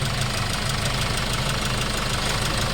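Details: Hyundai Starex D4CB diesel, replacement engine fitted for blow-by, after road test, no smoke, breather and dipstick checked with no blow-by: smooth steady idle with even low clatter, no misses or knocks; healthy engine.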